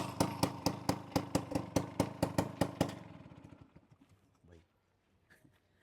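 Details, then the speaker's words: 1998 Bajaj Chetak scooter, silencer completely rusted: loud sharp exhaust blasts about two a second, then engine dies away; loud exhaust from rusted silencer. "गाडी सुरू झाली की असा आवाज होतोय ना, भयानक असा. मला थोडीशी भीती वाटते आता इकडनं जाताना की पोलीस नाही भेटले पाहिजेत."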